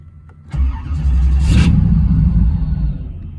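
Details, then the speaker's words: 305 TPI engine with original injectors that sat five years in old ethanol fuel: cranks, flares, then uneven lumpy idle, misfiring as if loaded with fuel; leaking injector suspected, injectors to be replaced. "it'll run a little better but you can hear it misfiring a little bit like it's been loaded up with fuel like one of these injectors might be leaking or something"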